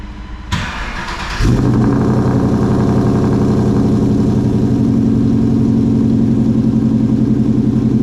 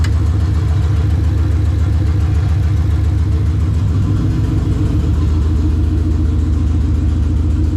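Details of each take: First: Coyote-swapped SN95 Mustang with newly welded exhaust, cold start after fitting a new power steering pump: starter whirs about a second, V8 catches and settles into a deep, even idle with no misses or knocks; sounds healthy. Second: Coyote-swapped SN95 Mustang on the lift, newly welded exhaust, first drive day: loud raspy idle with sharp rapid chuffing, sounding like a big exhaust leak from the side of the heads; owner hopes it's just lack of back pressure, cause unconfirmed.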